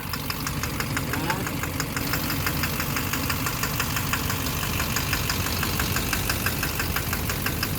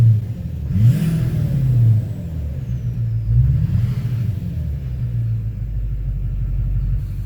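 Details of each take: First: 2009 Chevrolet Duramax LMM dually, 59,945 miles, morning start: sharp steady ticking knock over rough diesel idle from a bad injector, traced to cylinder 5; unplugging it removes the knock, with a new Bosch injector planned. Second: 2009 Chevrolet Duramax LMM dually diesel, 59,945 miles, owner suspects injector knock (plans to replace #5 injector): deep, even rumble swelling smoothly with no knock – normal diesel sounds; knock not happening at idle.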